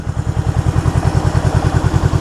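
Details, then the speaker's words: 1974 Honda CB360 twin with a lumpy, uneven idle: a loud chuff about every tenth of a second with gaps between. The left cylinder is dead because the points cover pushed the left-hand wire into ground, leaving no spark. "It was running on one cylinder. Left side was dead."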